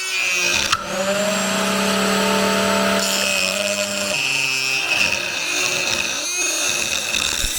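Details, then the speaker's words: Newly bought router cutting wood: a high motor whine with a steady overtone that sags and wavers under load, a noise it did not make at first; caused by a loose collet. "Uh-oh. She wasn't making noise like this at first. But guess what? I bought a two-year warranty. So if it was too much and we did mess something up, it can go back to the store."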